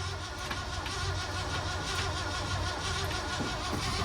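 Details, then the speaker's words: 1976 crew cab truck: the starter grinds steadily with a couple of brief catches that never take, then it dies. Cranks and fires but won't run; the owner suspects a bad, leaking fuel pump. "Truck is turning over. Fired up a couple times, but didn't run. So here's the question. I think we actually have a bad fuel pump."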